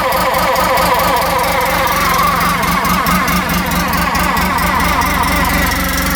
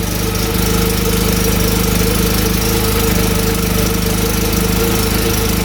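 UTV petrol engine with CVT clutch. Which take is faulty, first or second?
first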